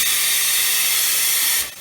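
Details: Tire machine's pneumatic bead-breaking jaw, handle pushed down to retract the jaw: sharp air hiss for about a second and a half, then a clean cutoff; normal pneumatic stroke.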